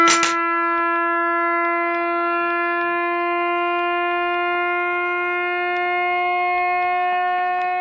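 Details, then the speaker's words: Reverse joule thief circuit with a 2N3055 NPN transistor and the smaller transformer, started at 100 mV. It gives a loud, steady, buzzy tone near 350 Hz; the oscillator whine is normal. "And also, we're going to start this test off at 100 millivolts, just so it's a bit shorter, because we don't want to hear that whine for too long."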